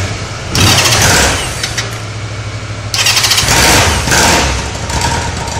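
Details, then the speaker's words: Honda Sevenfifty CB750 (1992-2002) engine under test starts promptly, idles evenly and revs cleanly. It has good compression, burns no oil and shows no white smoke, and the timing, valves, conrod and crankshaft sound healthy: a normal start and idle. "Como podemos ver, es un motor que suena bien, que arranca sin problemas, sube muy bien de revoluciones."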